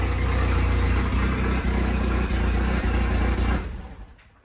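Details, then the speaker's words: Porsche 924 Turbo, heard outside the car at idle in neutral: loud, deep, tractor-like chuffing instead of the normally quiet engine with turbo whistle; massive hole in the exhaust. "all right so i think you can agree this is a horrible noise it sounds like a tractor which is terrible it's not the way it should be"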